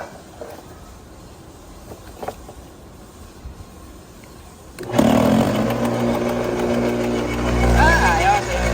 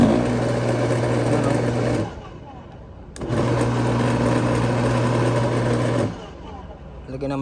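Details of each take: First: Bosch AXT 2200 garden shredder after blade adjustment to zero clearance: quiet, then the motor spins up and chews through the branch with an even, steady roar, no stalling or knocking; cutting properly. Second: Bosch AXT 2200 garden shredder, long in storage, on test: the motor spins up about two seconds, cuts out, restarts and dies again, running only while the switch is held; the switch is blamed and cleaned with contact cleaner.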